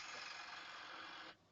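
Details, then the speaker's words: Commodore 2040/3040/4040 IEEE-488 disk drive under a diagnostics ROM bump command: fast, even buzzing rattle for about a second as the stepper drives the head back against the track zero stop, then stops cleanly; normal, the head likely already at track zero. "So this will drive it back and bump the heads at the track zero or track one stop. So I expect you can hear that it was bumping there."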